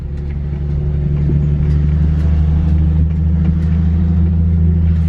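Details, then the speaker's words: Infiniti G37S, driver-side front wheel at about 10 mph: low soft rhythmic thumping, three to four beats a second, like a vibrating heartbeat felt in the floor; suspected bad wheel bearing. "like little thumping sound it's like a thumping sound and then how my the floor is here they would uh make like a little vibrating like a vibrating heartbeat sound kind of thing"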